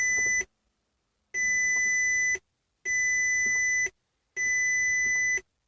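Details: 2007 Audi A3 2.0T that won't start: four long, clean high-pitched dash warning beeps about a second each with gaps, no engine running; cause unknown.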